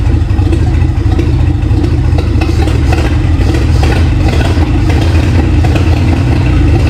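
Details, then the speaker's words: Free 1951 Plymouth, formerly locked-up engine, after replacing Champion plugs with Autolites: straight engine running steadily with low even beat and some mechanical chatter, about 40 psi oil pressure; running properly now. "So, cool. That sounded... It's hard to tell how good it sounds because"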